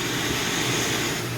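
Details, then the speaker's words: Coleman single-burner stove at full flame after warming the generator: steady, even hissing roar with no sputter or pulsing; burner running clean and strong. "and then of course there you have it on Full Tilt so this is a fabulous stove great power great flame"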